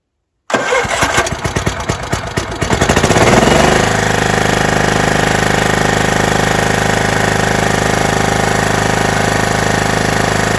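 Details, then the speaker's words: John Deere STX38 lawn tractor after a broken transaxle repair and carburetor cleaning, on fresh gas with the choke reset and parking brake set: cranks about three seconds, catches cleanly and settles to a steady, even idle with no misses or knocks; normal start and idle. "But first, let's just see if this will start right up. I've already got some fresh gas in the tank."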